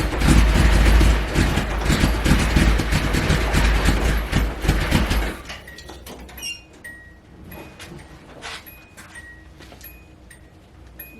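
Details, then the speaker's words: Nissan 280ZX, not run in a long time, after fitting a new part in rain and hail: the engine catches, runs rough for about five seconds, then dies, leaving faint clicks. It starts but won't stay running. "oh it's finally [ __ ] starting we just need to get it to actually like stay running"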